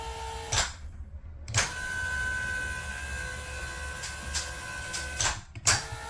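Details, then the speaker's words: Happy Jack bed lift after fix: smooth motor hum with light clicks, no banging or clanging; chain clicking on raise cured by gluing wood shims under the chain at gear height to hold it up. "Okay, here's after my little fix. No more banging, no more clanging."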